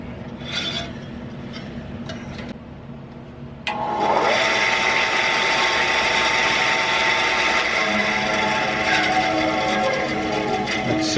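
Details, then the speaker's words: Craftsman 10-inch band saw after drive belt replacement and blade re-tracking, cutting scrap wood: smooth steady whir with light even blade rasp, no thumping or slapping; sounds just like before the belt broke, normal running. "okay well that sounds just like it used to before the belt broke so"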